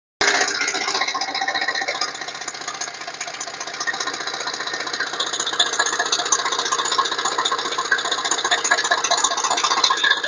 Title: bruit moteur chrysler voyager S2 TD